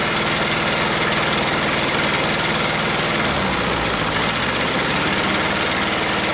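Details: Detroit Diesel two-stroke in a cheap, long-sat dozer (one cylinder was full of water) runs on only 2 of 4 cylinders; compression 150, 90, 0, 0. Heavy, uneven lumpy idle with missing firing pulses; rough idle from two dead cylinders with stuck valves.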